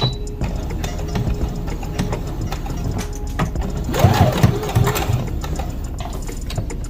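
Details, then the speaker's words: New CS6000i sewing machine on second speed, where the thread usually breaks, with light pedal pressure. Irregular knocks sound through the needle chatter, cause unclear, and the owner plans to return it: a knocking noise. "And I'm not pushing down really hard on the pedal either. But you can hear it. Something's knocking. And I don't know if that's normal or not."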